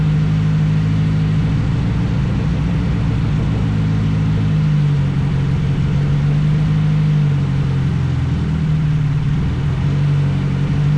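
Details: Nissan Sentra build, running after a no-spark fault was fixed and new V-band exhaust welded: deep, steady low exhaust drone dipping and rising slightly with throttle, smooth and even; runs normally.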